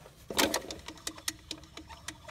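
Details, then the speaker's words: 2006 Jeep Grand Cherokee WK 3.7 that was overheating: radiator fan motor turned by hand gives uneven dry clicks and a scraping whir, not seized; failed internal bearings suspected. "It's not seized up. You can see it's moving. You hear that? Listen. Probably the bearings let go inside."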